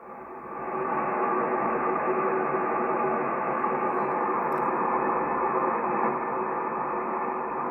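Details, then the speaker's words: HF ham receiver on 10 meters, full preamp on, during a neighborhood power outage: smooth unbroken band hiss with no buzz, crackle or pulsing; clean noise floor with no local interference. "Let's listen to the white noise of the band with full preamp on when there's no electrical service in my neighborhood."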